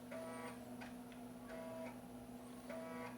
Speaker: Quando o disco dá uma esse barulhinho dá impressão, até que vai dar erro de leitura, mas é um erro, é um som característico do leitor de sketch.